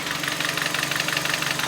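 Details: Hyundai i30 at about 195,000 km on odometer, burning oil: hard, fast, even knocking rattling over the idle like a diesel, worn pistons slapping and rod bearings knocking; full engine rebuild needed; piston slap and rod bearing knock.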